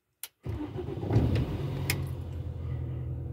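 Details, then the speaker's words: Car that makes a strange starter noise at startup below about 2–3°C, here started at about 10°C before starter removal: brief jingle, then it cranks, fires at once and settles into a steady idle; normal start. "et non elle n'a pas fait le bruit elle démarre tout à fait normalement il y a pas de souci"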